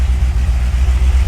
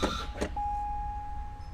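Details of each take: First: Wrecked C6 Corvette Z06 first start after sitting 2.5 months, problem fixed with new parts: deep, even V8 idle rumble with steady pulses, no knocks or misses; runs normally. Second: Wrecked Chevrolet C6 Corvette Z06, after a new key-fob battery let it crank: warning chime, starter cranks, it fires with a brief rev, then dies, which it had never done before. Fuel pressure to be checked. Crank with brief firing, no fuel delivery.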